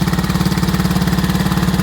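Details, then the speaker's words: Owner-guessed 1969 Economy Power King tractor, 14 hp, single-cylinder engine, started fairly cold (choke sometimes needed), idling as low as it will go: low, steady, even thumping at about fifteen pulses a second, running very smoothly, normal idle. "But runs very, very smooth. pretty much as low as idle as you can get it."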